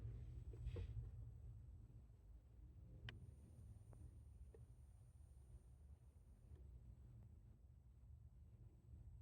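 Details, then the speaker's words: Yaesu FTM-150 head unit at 13.2-15.5 V supply: faint high-pitched whine with LCD dimmer at max, most pronounced on white backlight and also on amber, gone at lower dimmer settings; display backlight coil whine. "DK I am experiencing this high pitch buzzing noise coming from the head unit of this Yu fdm 150 the issue is the most noticeable with LCD dimmer at Max"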